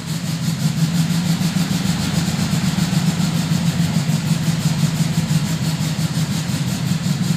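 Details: 1972 VW Fastback with a fuel-injection issue, cold, heavy smoke that drops to minimal puffs at operating temperature; lumpy uneven low idle beat that never settles; rough rich idle, cause not confirmed.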